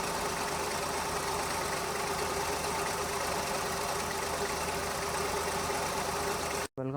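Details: Maruti 800 petrol engine, warm after 30-40 km of driving, idling unevenly with irregular stumbles: random misfire jumping between cylinders, attributed to a worn distributor cap and rotor.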